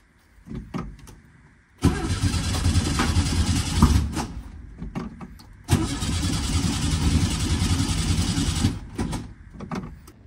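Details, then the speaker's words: 1967 VW Type 3 Squareback after Pertronix SVDA distributor install, timed at 7.5° BTDC: two cranking bursts with even starter churn and no firing; crank no start, distributor clamp too loose so it slips out of time. "hmm okay I figured it out I had the coils for cylinder three and four swap backwards so it should start now"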